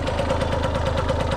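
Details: 1989 Yamaha YSR50 50cc two-stroke, 198 original miles, cosmetically restored, quick start-up: crisp, even popping at about nine beats a second, no knock or misses; idles cleanly, sounds like brand new.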